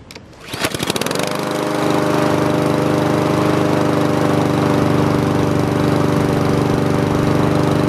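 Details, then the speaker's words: Honda GCV160 mower engine after air filter and carburetor cleaning for a surging idle: catches after a few pulls and settles into a steady, even run with no surging for five minutes, so the fix worked. "all right guys we just let that thing run for five minutes no surging or anything that's a good fix for these Honda engines"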